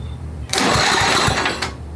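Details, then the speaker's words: Old Craftsman riding mower, 10hp Tecumseh, water damaged, first start after head installation and carb install, rear raised: short burst of cranking that never catches; fuel line suspected not feeding fuel. "foreign we may have to move that fuel line because I don't think it's getting any fuel hold on it should have spark"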